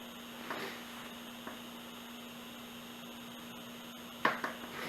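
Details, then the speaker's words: Opened 80 GB IDE Samsung Spinpoint hard drive with landing-zone heads, click of death: faint drive hum with sharp isolated clicks as heads unpark, go to platter edge, fail to read a track and retry repeatedly. "so there we go that's our failure it just does that over and over again it's failing to read a track right about there"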